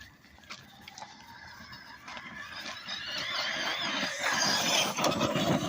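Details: Small electric RC car: high wavering squeal rising in pitch and loudness as it speeds up, suspected bad motor bearing.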